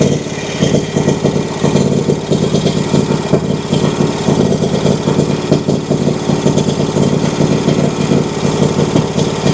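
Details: Exmark Vantage S mower, Kawasaki FS541V: runs rough with irregular pops and stumbles breaking its beat; misfire; fuel pressure good and fuel clear and fresh, so not fuel related.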